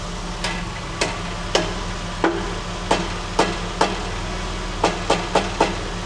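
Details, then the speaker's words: 1999 Porsche 996 911, idling/off throttle: sharp tinny metallic taps at uneven intervals, like thin sheet metal flapping; rattling heat shield touching muffler suspected, not confirmed. "Sounds like you got a rattling shield or something."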